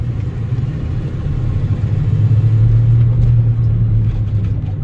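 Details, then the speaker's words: 1997 Ford F-250 HD 4x4 7.5L driving: low steady rumble building with speed; mechanic suspects front hub bearing or front differential pinion bearing, not confirmed. "yeah it sounds like a front i don't know if it's front differential or if that's like a hub bearing hub assembly here"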